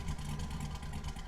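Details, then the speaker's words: Truck V8 after a cam swap, idle being tuned with HP Tuners, warm at 90 °C coolant, IAC counts around 138–142: a deep, lumpy, uneven idle. Rough idle; the owner wonders if the 0.61 V throttle sensor voltage is the cause. "and it almost sounds like it's running a rougher like I'm wondering if this GPS voltage of 0.61 is causing a problem"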